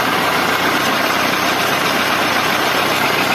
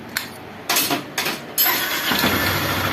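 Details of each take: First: Honda Bros 150 motorcycle idling with clutch lever pulled: loud, even clattering rattle from the engine that stays constant; mechanic suspects a problem in the clutch housing, possibly a loose internal bolt touching the casing, not confirmed. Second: Honda Bros 150 motorcycle after repair of the starter, whose broken weld was re-soldered (initially suspected weak battery or starter brushes): a few short cranking bursts, then the engine catches and settles into a steady run, a normal start.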